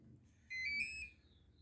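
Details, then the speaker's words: RC boat with a replacement motor, bench-tested at power-up with the battery connected: one steady, high-pitched beep lasting about half a second. It means the speed controller isn't calibrated to the remote, which also happens after changing the controller. "so we've got this sound that means what what that's telling you is that the speed controller is not calibrated to the remote that would happen if you also change the speed controller"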